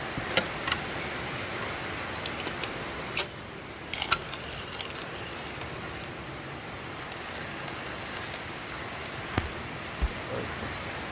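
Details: Grinding fresh, dry medium-roast coffee beans: dense, steady crackling crunch with sharp snaps, unlike month-old coffee, which grinds without the crunch.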